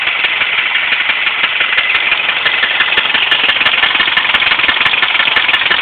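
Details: Subaru Impreza EJ25 that suddenly began idling rough and clicking loudly after coming off the highway: sharp metallic clicking about three per second over a rough idle; the owner suspects a spun bearing, but this is unconfirmed.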